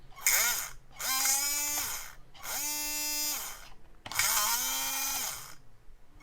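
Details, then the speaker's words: HBX Rampage 1/18 4WD brushed RC monster truck, drivetrain just freed of a jammed pebble and disassembled: three short bursts of whine rising and falling with a gritty edge; motor works but still sounds rough, cleaning planned. "motor works so it still doesn't sound great"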